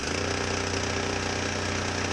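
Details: Husqvarna 122HD60 hedge trimmer, small two-stroke: engine holds a steady buzzing speed but the cutters drag along slowly. Grease contamination in the clutch makes it slip.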